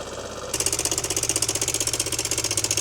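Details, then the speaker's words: Yamaha XMAX scooter, 8 years owned, after replacing the cam chain tensioner (part 5TNE22101000), with the airbox disconnected: quick, even idle patter. The former cam chain slapping is gone and the new tensioner works. "So yeah, the slapping noise is now totally gone. Our new tensioner seems to be working perfectly."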